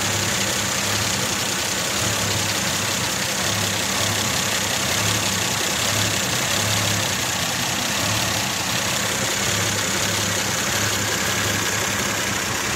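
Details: Mazda 626 idling, fault code present: uneven lumpy beat with a slight wavering hum, vibration felt inside the car; rough idle, cause not pinned down.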